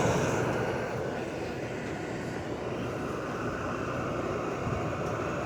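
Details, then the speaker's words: Dehumidifier (Vremi or Hense) running after startup, compressor on: steady even airy rush with soft hum, no knocks or rattles, warm air, freon audibly circulating; normal running. "Air is nice and warm. You can hear that freon going through the system."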